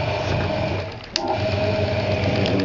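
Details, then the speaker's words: Hoover 200M washing machine dry-run test, live and plugged in: small timer motor advancing the timer mechanism, steady light whirring hum with faint even buzz and one brief click; timer working as it should, normal operation. "timer going time is doing what it should"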